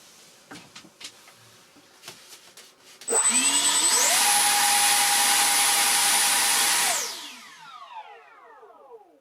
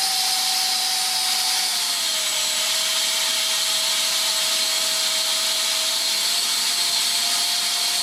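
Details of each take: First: Su-27 electric ducted-fan jet model: the fans spool up to a clean, steady high whine, hold about three seconds, then wind down smoothly. The fans sound healthy, though the owner suspects damp residue hardened on the fan blades contributed to lack of thrust on the failed maiden. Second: SU-27 RC jet twin ducted fans after failed maiden, thrust test at full throttle: loud high whine sagging slightly mid-run.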